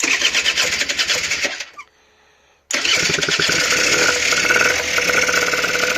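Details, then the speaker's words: Honda NH80 Vision two-stroke scooter, first start during restoration, choke opened; crackly high-pitched buzz that stops briefly, restarts and settles into a steady run, sounds quite good. Normal running. "am good and i hey sounds quite good actually"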